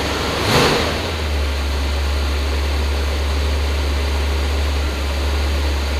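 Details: 1966 Ford Galaxie 500 with new Pertronix electronic ignition replacing arcing points: true cold start, quick catch, then a steady deep rumble on the fast idle cam, stepping down with an accelerator tap; no misfires or knocks, runs perfect.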